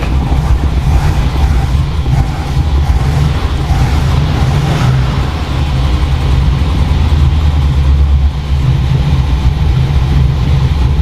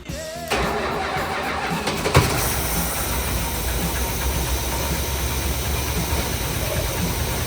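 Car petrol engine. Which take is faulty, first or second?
second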